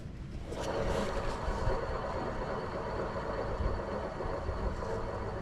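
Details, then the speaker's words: Hand-spun utility trailer wheel hub, no play but a gritty rumble instead of a smooth whir: dry wheel bearing that needs grease. "Spins good. Doesn't sound good. That means we got to put some grease in there."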